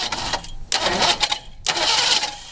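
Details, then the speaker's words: Engine cranking on starter with no fuel after spark plug wiring; harsh metallic clanging about once a second from a wrench left on the harmonic balancer bolt striking as it turns. "Just FYI, that horrible sound was this wrench on the harmonic balancer bolt."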